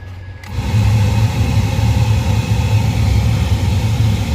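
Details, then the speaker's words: 2014 Ford Fiesta after blower motor replacement and recirc door fix, recirc off drawing outside air: steady even blower roar over low idle rumble, no popping or ticking from dash; recirc door working properly. "Recirc off, sucking outside air. That's how this works. Now no more popping sound."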